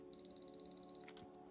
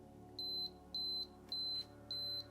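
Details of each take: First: Canon AE-1 Program battery check with a new battery: eight fast high-pitched beeps then a click, the correct healthy sound. Finding: normal battery check beeping. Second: Canon AE-1 Program battery check button pressed: high clean beep repeating about twice a second, meaning the battery is low and should be replaced soon.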